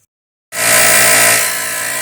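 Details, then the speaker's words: Compressor being troubleshot: silence, then it kicks on with a harsh, very loud hiss and clatter that settles slightly; works but abnormally noisy, cause unknown. "Working. So loud. So very loud. But it works."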